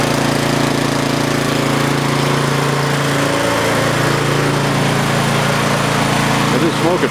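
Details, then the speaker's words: Yardman (MTD) snowblower with LCT single-cylinder engine, no-start after sitting years, fixed by dumping carb bowl and flushing gas tank: steady even buzz at 3400 rpm with no misses or surging; normal running. "it runs it's alive 3400 rpm just fine"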